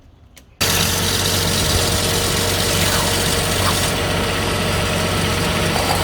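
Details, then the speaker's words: Engine idling after belt dressing applied to a five-month-old serpentine belt that had squeaked and ground: even idle with steady belt whir, no squeal or grinding; problem was a dry or dirty belt. "Okay, so seems like the belt squeak or the grinding noise from the belt is gone by simply putting the belt dressing over here. Alright, so it was just a matter of probably a dry up or dirty belt."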